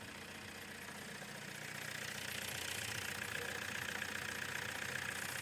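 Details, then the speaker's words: Renault 19 diesel with 417k miles, just fitted new steering rack bushes and dog-bone mount, exhaust not yet reconnected: harsh raspy roar and steady clatter at idle, far louder than normal; unsilenced exhaust. "Lads well I hope you can hear me because uh she started and she's pretty loud where she"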